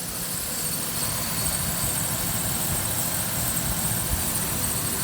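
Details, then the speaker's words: 2008 Ford Ranger 2WD 5-speed, 3.0 liter V6, 147K miles, no codes or oil leaks; steady, even idle hum with fan rush and no knocks or ticks, healthy. "Hear how quiet it is, no knocking whatsoever. This is a 3.0 liter V6 engine."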